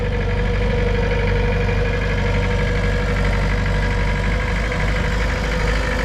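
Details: Mitsubishi BD2F dozer diesel running under its own power for the first time in two or three years: steady, even low rumble with no knocks or misses, sounding healthy as it moves out of its spot; normal running.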